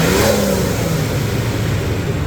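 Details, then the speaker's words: 1998 Nissan Skyline R34 GTT, stock engine, about 38,325 km, warmed up, phone held close to engine: smooth rev climbing and easing back with even note, only regular tick, no knocking; normal engine revving. "We are good here. I mean, it's quiet, really quiet. I mean, I don't hear knocking, anything like that."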